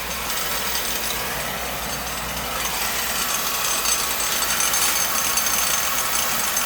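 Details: Beckett oil burner, two-pipe system, annual service, outside Roth tank low on oil, with a little air in the line; steady blower rush and even flame roar, no surging, popping or pulsing; burner firing cleanly, though a possible oil issue is suspected.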